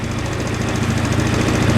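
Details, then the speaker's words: Scooter single-cylinder engine after fuel filter blown out, started first kick; quick even put-put idle with no misses or knocks. Normal idle. "И в результате все заработало. Заводится с полуоборота с кикстартера. Вот и вся проблема."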